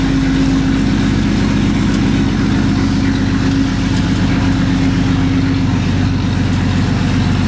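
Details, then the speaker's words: 1965 Mustang after fixing a terrible noise from a rear brake drum, started and listening at the back wheel: steady even low engine rumble, no scraping, grinding or rubbing; quiet rear drum brake after repair. "I don't hear the noise seems to be okay"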